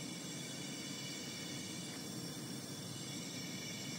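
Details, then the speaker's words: 180,000-mile Subaru STi, cylinder 3 leakdown test: steady hiss of air escaping; 5% leakage, a bit past the intake valves and most past the rings into the crankcase, heard at the oil filler and intake. "we've got a five percent leakage we've got a bit coming out of the intake valves and majority of which coming and by the Rings into the crankcase"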